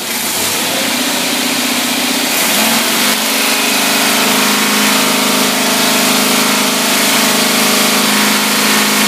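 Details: Rebuilt Autolite (Holley) two-barrel carburetor with manual choke tested on a running engine: loud, full engine note picks up smoothly, then holds a strong even rev with no misses or knocks; carburetor running clean.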